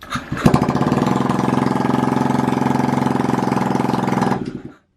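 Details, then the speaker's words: Honda Ruckus/Zoomer with a fuel-injected 49cc engine, first start after the build: the fuel pump and throttle body sensor prime, then it catches within a blink and settles into a quick, even putter with no misses or knocks until shut off. "But if we turn it on, you can hear the fuel pump and then the throttle body position sensor"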